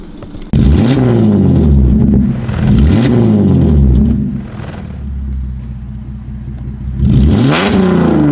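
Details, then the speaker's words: Holden Commodore SV6, de-catted with rear mufflers removed (straight pipe): raw, booming exhaust climbing and falling with revs, with sharp crackles and pops on downshifts and throttle closing. "so it's loud it also crackles and pops on down shifting up here"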